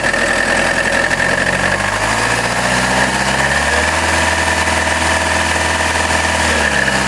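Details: Cracked flexplate rattle on a Chrysler Grand Voyager 2.8 CRD diesel at idle: metallic rattle from the bellhousing that shifts with revs. Not the accessory belt or power steering; remained after balance shaft removal. Fix: separate gearbox and replace flexplate.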